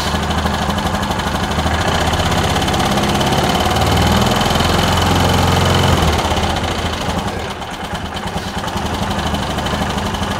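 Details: Bennche/Hisun 500 UTV single-cylinder after clutch, fuel pump, throttle body and IAC work: even idle, brief throttle blip, settles calmly; clutches stay still, slight top-end tick noted, valve clearance check planned.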